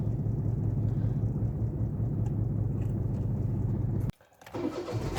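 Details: Toyota 1KR engine with check-engine light and code P0353: rough, uneven idle with a lumpy low thump from a misfire, then the engine abruptly dies after about four seconds.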